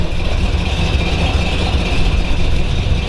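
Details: 1932 Ford Hi-Boy roadster, 265 CID S.C.O.T.-blown flathead V8 with '49 Merc rods and S.C.O.T. 404 cam, started indoors in neutral: deep, lumpy, evenly firing idle, no knocks or misses; healthy.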